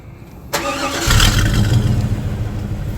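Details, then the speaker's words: Chevrolet Tahoe V8 before Magnaflow dual exhaust upgrade, starting and revving: raspy, puffing exhaust note from a massive exhaust leak behind the end of the Y-pipe; driver-side cat suspected to have sent chunks into the muffler, choking the engine. "I think the sad part, the only thing that's saving me right now is a massive exhaust leak behind the end of the Y pipe, and which is allowing flow for me to actually drive."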